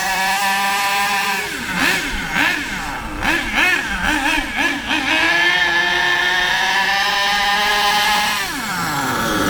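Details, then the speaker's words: HPI K4.6 nitro engine in a Savage 21 truck: after the high-speed needle is turned slightly clockwise (leaner), throttle blips, then a steadier, higher, crisper tone with more power. Rich mixture leaned out. "did you hear the difference the tone and the pitch was higher cuz it was a bit more power a little bit less fuel going in more power"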